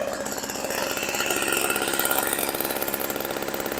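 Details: 1980s MTD Snowflite two-stroke snow blower, bought as a non-starter and running with nothing done to it: buzzy, rapid firing holds steady and even with no stumbling or knocks; the engine is running properly.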